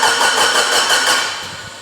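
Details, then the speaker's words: Mitsubishi Evo 8 restoration, first start attempt, speed-density base map, 30 psi fuel pressure, no leaks: steady, even starter cranking for about two seconds, never catches; cranks but won't start, cause unknown. "all right she should have fired by now let me scan codes nothing stupid is going on"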